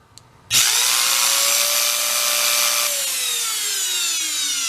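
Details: Scavenged Hoover Elite carpet shampooer motor, previously smoked, run on the bench with a fan fitted for cooling: high whine that jumps on switch-on and sags as it coasts, with a crackly hiss underneath from worn brushes sparking.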